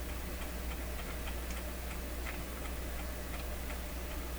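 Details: Clairtone console stereo record changer during intermediate-wheel maintenance, start piece manually engaged: steady light ticking about three times a second over low motor hum; changer mechanism keeps clicking without cycling.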